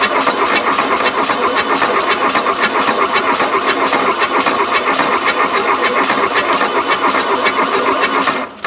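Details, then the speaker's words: Volkswagen Rabbit diesel abandoned 30+ years, glow plugs jumped but probably burnt out, 40°F: fast, steady starter churning nearly nine seconds with brief uneven catches as one cylinder fires intermittently; never runs. Diesel cranking. "let's burn up a starter make this happen that was a cylinder kicking off"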